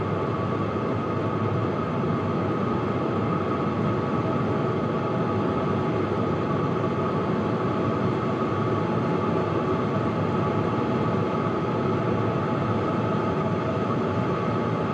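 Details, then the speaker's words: HCalory Toolbox Max diesel heater at maximum setting 10; steady even fan roar with faint constant hum, only fan noise, no pump ticking or pulsing; normal running. "All you can hear is the fan noise, and that is cranked right up."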